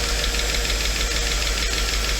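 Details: Mercedes 500E W124 first engine start after project reassembly, used replacement fuel pump, owner unsure oil level is sufficient: fast, even ticking over a steady idle; startup ticking, possibly lifters short of oil pressure.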